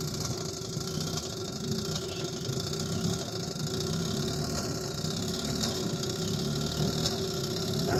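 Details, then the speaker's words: 1955 Johnson QD-16 outboard, carb believed clean: uneven, lumpy burble at low idle; idles poorly at low speed, hard to start and won't start easily in neutral, starts better in gear; cause not confirmed. "doesn't run well in uh um uh in low speed it's not idling well and um doesn't really want to start unless I'm in uh in gear"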